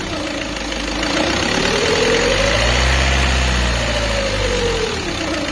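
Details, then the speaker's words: Peugeot 206 2.0 HDi 90 diesel, timing belt over-tensioned by a previous shop: clear whine rising and falling as revs swing about 1000–1300 rpm; overtight timing belt, risking premature belt failure. "ce bruit là c'est tout simplement un bruit qui démontre que la croix est trop tendue"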